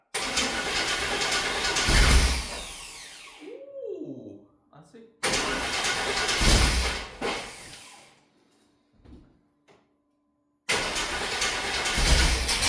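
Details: 1995 Chevy 1500 long-stored, first start attempt before ignition tune-up: the starter grinds the engine over in long bursts with pauses, but it never fires; cranks, no start.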